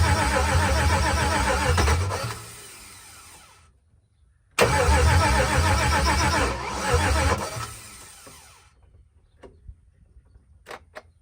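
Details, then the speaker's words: Gen4 LS-swapped Cutlass, first start attempt with fuel pressure around 50 psi: starter churns in two bursts with a couple of pops but engine never catches; crank no start caused by coil harness wired wrong. "first LS swap by myself and it started not on the first time but that's cuz I had the Hornet swapped swapped wrong the coil Hornet"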